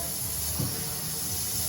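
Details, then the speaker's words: DAF lorry with slow-releasing park brake, air fed down the handbrake feed pipe with an airline while handbrake released: steady, strong rush of air without sputter; park brake light went out instantly, brake releasing properly. "Yeah, what I did just then is got that feed that feeds the fucking handbrake. I put pressure down it with the airline and got the lad to sit in the cab and take the handbrake off. And when he took the handbrake off, the park brake light instantly come out."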